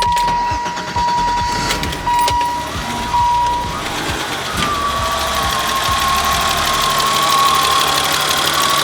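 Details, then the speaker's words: 1987 BMW E28 after replacing the faulty idle control valve that caused idle surging between about 500 and 1500 rpm: door chime, then the engine starts and holds a steady, even idle with no hunting or surging. "this thing runs great now so i'm gonna start it up for you guys let you guys hear it"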